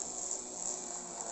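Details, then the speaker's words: Jouef HO 030T Boer 0-6-0 tank model locomotive with three-pole motor: thin, high, steady buzzing whine, much louder than it should be; still noisy despite lubrication and reworking. "the three-pole motor this is a noisy locomotive and there's nothing doing I've lubricated it I've done all sorts of things I've turned it inside down this is a lot a noisy motor"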